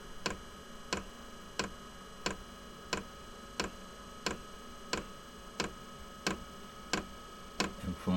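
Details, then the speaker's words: Inexpensive diesel air heater in a small workshop during priming and initial startup, glow plug on: sharp, loud ticks about one and a half per second over a faint hum; normal, and the ticking stops after startup. "I've seen that loud ticking goes away after it finishes this priming and uh initial startup"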